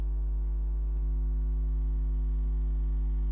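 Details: Xbox One power supply after capacitor replacement, fan not connected, microphone far away: faint steady low hum with even tones, no buzzing or crackle; supply powers up normally, orange then white light.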